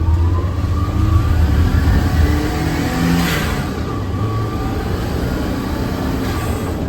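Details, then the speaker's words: Turbo Daihatsu Mira with the blow-off valve that came in the car refitted after the BLITZ one, free revs: engine revs and lets off with short airy whoosh as pressure vents; normal blow-off valve sound. "First rev. Yeah, it kind of sounds like the HKS. Nothing really worth talking about. I don't even know which one I like more."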